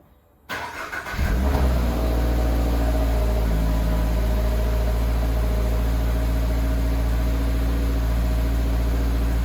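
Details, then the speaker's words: 2023 Toyota GR86 right after swapping the OEM exhaust for a new aftermarket one: brief crank, then it catches into a deep, steady, even fast idle with a smooth exhaust drone; normal cold start. "I'm gonna lower the car and then we'll get a cold start and you guys could hear it for the first time"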